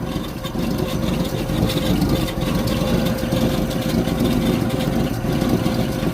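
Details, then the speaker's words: 1964 Holden EH ute, first cold start after fuel pump diaphragm work, started with starting spray: catches and holds a steady, slightly rough cold idle, no misfire; oil and charge lights out, running on all cylinders. "Sounds like she's running on all cylinders, which is great news."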